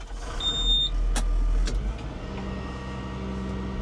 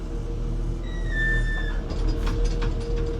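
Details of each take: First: Volvo digger working after a grease nipple was fitted to the previously squeaking pivot pin whose grease ways were caked: steady diesel rumble and hydraulic whine, no squeak from the pivot; pin now quiet. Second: Small Volvo excavator idling: a high, slightly falling squeal, then creaks, from a very dry pivot pin starved of grease by a broken central greasing line.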